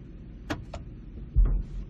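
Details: 2010 Ford Expedition at idle, shifting from neutral into drive, reverse quiet: one heavy low thud on engagement into drive; driveline clunk from worn rear differential support bracket letting the axle shift, fixed by bracket replacement.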